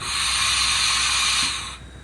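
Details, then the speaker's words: Old auction Haas CNC machine, US 230 V 3-phase converted to 415 V, tool changer arm cycled empty: loud steady air hiss about 1.5 s then cutoff, slow change; suspected faulty quick exhaust valve or clogged bronze exhaust silencer. "which normally means that the um hump free quick exhaust valve is knacked need closing or the ACT um exhaust silencer Muffler fil with bronze on the trp is knacking as well"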